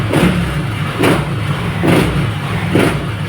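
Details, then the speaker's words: Yamaha NMAX All New v.2 scooter after repair for stumbling on take-off and stalling when revved (electrical problem); PCS set off; four quick, even revs picking up cleanly without stumbling or dying, normal throttle response, fault cured. "อ่าก็หายนะครับก็แก้เรียบร้อยครับอันนี้ก็สามารถส่งงานได้ครับ"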